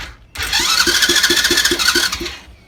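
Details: 50cc Chinese ATV quad cranks but won't start despite strong spark after new plug, HT lead, stator, battery, piston kit, gaskets, valve clearance check, cleaned carb, fresh fuel and oil: starter whirs through even compression pulses, never fires.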